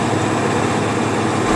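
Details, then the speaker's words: Old Ford F250 7.3 turbo diesel on a long winter highway trip, with a steady low hum and growl under road noise that goes loud and quiet in turns; front left wheel bearing, likely worn for the whole trip. "Hear that? Yeah. That's a wheel bearing. Pretty sure it's our front left."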